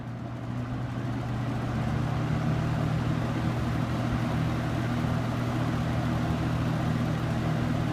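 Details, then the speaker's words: New-old-stock late-1970s Superlectric box fan with plastic-shelled motor, started on high: spins up over a second to a steady low hum with a very faint motor whine, no rattle or scrape; runs normally. "it runs a little faster than the other one yourself and this one's really low on low maybe until it warms up it does have a bit of a motor wine but it's very faint"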